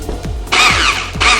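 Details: Airsoft AEG with the motor plate fully seated but the motor adjustment screw set too loose, so the motor sits too low: short bursts of a high, wavering electric whine with little mechanical bite, the motor not meshing properly with the gearbox.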